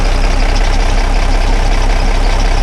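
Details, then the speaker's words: Dennis Dart SLS bus diesel, restarted after the clogged fuel sediment bowl was removed and the engine primed: deep, steady, even idle with no stumble or hunting; the starting and fuelling problem is fixed, and the bowl may also have been letting air in. "and it's working at last so I think that will be called a success so good for that all that problem in it was just a fuel sediment bowl absolutely ridiculous"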